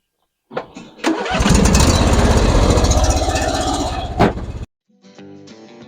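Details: John Deere LA-series lawn tractor, after a valve adjustment to cure hard starting: the starter cranks briefly, the twin catches within a second and runs smooth and even before cutting off; normal start.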